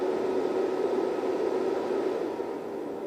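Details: Rigol DP832 power supply with stock SUNON ME80251V1-000C-A99 80mm fan before replacement: constant loud rushing hiss with a faint steady tone, no rattle or grind; noisy cooling fan.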